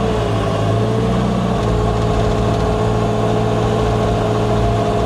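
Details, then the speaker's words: Wheel loader idling after new chain fitted (old chain squealed when warm): smooth steady low drone, faint constant hum, no whining, rattling or knocking; almost pleasantly quiet, normal idle. "Täällä on melkein miellyttävän hiljasta."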